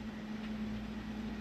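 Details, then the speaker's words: Mastercool MCP44 evaporative cooler after a control switch swap, with the reservoir now filled: a soft steady pump hum with a faint constant tone and light water rush, running normally. "my reservoir was empty so it wasn't pumping anything but now it is you hear the water going"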